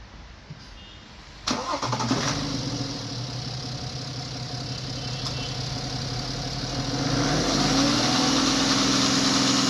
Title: BMW timing chain noise